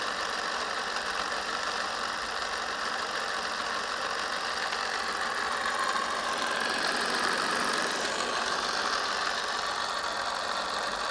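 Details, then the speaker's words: Bafang BBS02 750 W 48 V mid-drive e-bike motor after about 1,600 miles, run on a test rig after regreasing a dirty, water-contaminated drive shaft bearing, gives a steady whir with a rough, gritty rumble; bearing still needs replacing. "as you can hear there's still start bearing rumbling noise which is a bit of a change but obviously that just means that there and used to be replaced"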